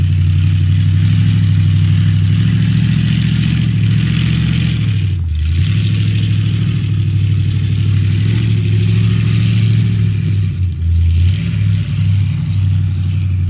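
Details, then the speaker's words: 1976 Highboy truck V8 after engine reinstall, first yard drive: deep rumble pulling off with a brief dip and hesitation off idle, a nasty off-idle stumble from carburetor transfer slots open too far, idle not yet vacuum-gauge tuned; 50 psi oil pressure; later fixed. "I hadn't even stuck a vacuum gauge on it to try and tune the idle in at that point, and I had the transfer slots open way too much, so I had a really nasty off-idle stumble."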